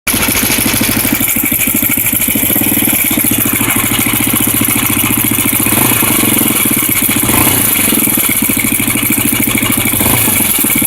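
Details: Honda NX 250 single-cylinder at idle: fast, even, loud metallic rattle riding over each firing pulse, constant; engine rattle, source not identified.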